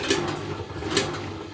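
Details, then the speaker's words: Washing machine: a wire from laundry tore through fabric, slipped past the front door bellows rubber and lodged by the heater between tub and drum; rough scraping knock about every 0.85 s as the drum turns. Fix: unplug, reach via drain hose or heater. "Çıkarak bu öndeki körüğün kapağın olduğu yerdeki körüğün lastiğin arasından içeriye kaçarak resistansın arasına sıkışarak tambura dönerken çarpmasından kaynaklanan bir ses."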